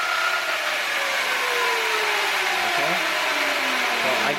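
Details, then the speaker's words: 2018 Sur Ron Light Bee MX motor on an ASI controller after overheating at an enduro race: whine sweeps up and down to about 5000–6000 RPM under light throttle but cuts out at heavier throttle; owner suspects a busted Hall sensor, motor not dead. "it cuts out when I give it Full Throttle when I give it a lot I like us after like a certain amount of throttle it dies"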